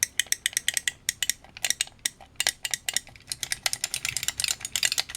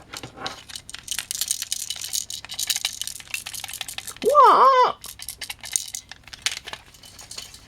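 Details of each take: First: Vintage microswitch joystick after teardown and de-rattling: crisp, quick clicks in bursts as the stick is moved, with no loose buzz or rattle between them, so the switches sound healthy and better than before. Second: Vintage microswitch joystick before teardown: light, irregular plastic clicks and skittering rattles as the stick is shaken; a broken fragment is loose inside the case.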